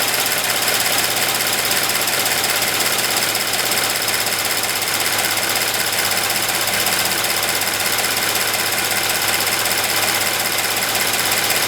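Sharp, high chirping ticks, roughly three a second, over a quiet idle; the high-pressure fuel pump is chirping.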